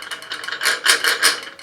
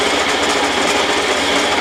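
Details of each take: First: Rockwell Beaver table saw motor running: uneven tinny rattle in quick bursts from the internal cooling fan. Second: Old Rockwell Beaver table saw motor, first startup after repair of rattling fan and wobbly pulley: steady even hum with light belt flutter, smooth coast-down; much quieter, remaining noise attributed to belt vibration.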